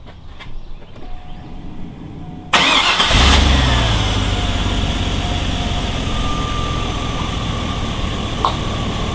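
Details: 2001 GMC Yukon XL V8 after knock sensor replacement, valley cleaned, new gaskets and hose repair; starter catches quickly, flares briefly, then settles into a smooth, even idle with no knock or tick; runs much better.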